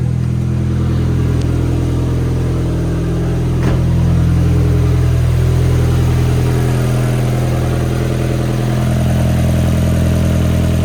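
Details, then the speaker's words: VW 1.8T first start, timing belt set 16 rollers between marks: deep, even idle of about three and a half beats a second, no misfire, some oil smoke burning off and a slight noise. "holy idling perfect a little bit of smoke burning off from some oil there but it's like has a tiny bit of a noise the man runs way better"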